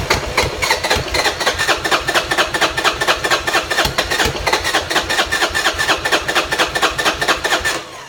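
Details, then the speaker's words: Buell Blast cranking cold without auto enricher choke or starting fluid: starter churns steadily about two compression strokes a second for eight seconds with no firing; won't start without choke enrichment. "Okay, again, I want to show that this bike won't start unless it's got either an auto choke or a spritz of engine starter fluid. So here we go."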